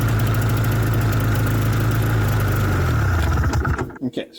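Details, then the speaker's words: 1994 Yamaha VX500 (VMAX 500) two-stroke snowmobile, long stored: fires on lots of starter fluid and runs roughly a few seconds with heavy smoke, then sputters and dies; not pulling fuel from the tank. "I've been trying uh quite a few times with the starter fluid and it it starts I mean it needs a lot of starter fluid but it it works"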